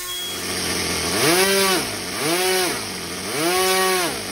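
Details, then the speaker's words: OS Max NSU Wankel nitro rotary model engine being readied to fly again: bright, buzzy note swings up and down three times as throttle is blipped, clean and even with no misses; messy but running healthy. "it's a pretty messy engine but it sounds good"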